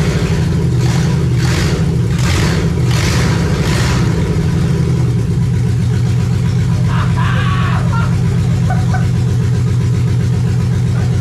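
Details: Lexus 1UZFE V8, barn find first run after 6 years standing, ATF in cylinders, out of the Jeep KJ: some rough blips early, then a steady deep even idle without knocks or misses.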